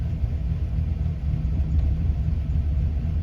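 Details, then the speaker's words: 2008 Chevy Silverado 4x4 5.3 V8, cold start after low-oil-pressure fix (pickup tube O-ring, modified relief valve): steady, low, even rumble at fast cold idle around 1,000 rpm, oil pressure about 42–45, no ticking; lifters no longer staying pumped up. "That's a lot better than lifters staying pumped up at idle."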